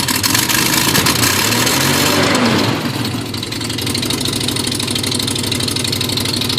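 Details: Nissan Z31 on a cold morning: loud raspy idle with choppy uneven lope and puffing exhaust; timing belt one tooth off caused cammed-like lope, exhaust leaks from broken head stud, cracked manifold and broken manifold-to-crossover stud.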